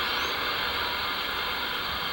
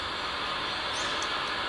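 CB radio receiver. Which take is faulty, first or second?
second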